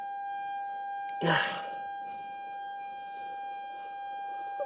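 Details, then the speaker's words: Airbus A320 cockpit, steady electrical hum with two pure tones and a brief handling bump, from the TR1 and TR2 transformer rectifiers during crew oxygen cylinder replacement; normal transformer rectifier hum. "By the way, the buzzing noise which you can hear inside uh is coming from devices which are called transformer rectifiers."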